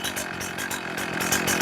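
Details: Chainsaw after the low-speed screw was leaned further: idle is about 2,800–2,900 rpm and stabilised. Throttle response is crisp and steady with no stumble or bog, so the low-circuit mixture is close to right.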